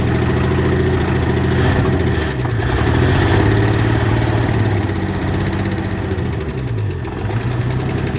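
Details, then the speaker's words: 1968 Ford F100 with 240 inline-six, first start after sitting at least 20 years in a field, no water pump or fan, fed fuel by hand: rough uneven idle with light ticking over the rumble; owner suspects weak lifters or dry valve train. "Definitely noisy. So it hasn't run in a long time. But it's alive."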